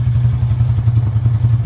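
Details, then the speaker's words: 1999 Honda Foreman TRX400FW after fixing a no-spark fault, started the morning after with no choke: deep, even single-cylinder thump at a steady idle through a loud muffler, no misses; runs nicely, perhaps idling a little low. "Might be idling a little low still, but she runs pretty nice now."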